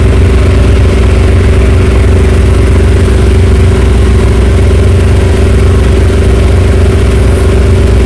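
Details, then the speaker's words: 1963 Chrysler Newport V8, just revived after sitting, smoking heavily: loud, steady V8 burble with no misses or knocks and no stumble off idle, a normal idle. "That thing is so good. It's like it don't even have a stumble off idle."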